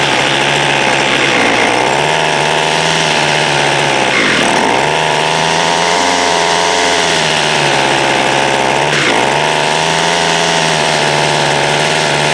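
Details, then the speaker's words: Water-soaked 2016 Homelite 26cc curved-shaft two-stroke trimmer, first run: high buzzing that surges and sags every few seconds instead of holding speed; running rough, idle and low-side adjustments to follow. "try to do some adjustments on this thing it's rough"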